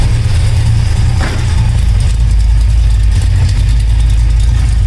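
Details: 1972 Oldsmobile Cutlass idling after an electric fuel pump install, fed through a relay on low fuel, with the AFR reading good and no leaks. Deep, steady idle with no misses or stumbles and an unchanged rhythm; the engine idles healthy.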